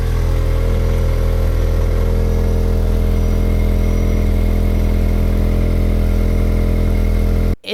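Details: Corsa B with a rusted-through one-piece pipe from the catalytic converter to the back box: loud, raspy, blatty exhaust with a deep low drone at steady revs. Exhaust leak before the back box.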